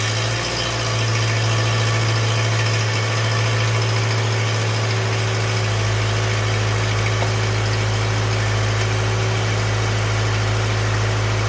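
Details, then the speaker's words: 2014 Subaru Impreza idling with the splash shield removed: a loud drone with a buzzy, uneven rattle under the engine. Suspected catalytic converter gasket exhaust leak now doubted; possibly something more serious such as the torque converter, unconfirmed. "sounds like it may not be a gasket um sounds like it might not be exhaust leak after all something maybe even more serious"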